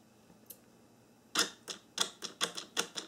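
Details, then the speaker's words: 1994–1997 Honda Accord door lock actuator bench-tested after repair: crisp even clicks, about eight quick strokes in two seconds, no grinding or dragging either direction, normal operation. "I'm going to bench test the actuator to show you that it's fixed when it goes in One Direction doesn't make any noise and when it goes in the other direction it also doesn't make any noise"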